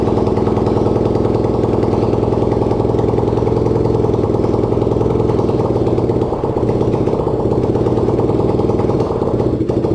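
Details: Racing lawn-tractor single-cylinder engine (250cc, though also called 150cc) on its first start, no exhaust and no throttle fitted: loud, rapid, even unsilenced popping at a steady idle; runs normally.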